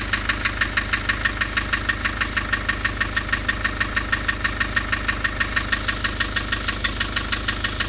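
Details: Nissan Urvan Estate with ZD30 (E25) diesel at idle: sharp, very even clatter about three times a second; rough idle with white smoke from lost compression.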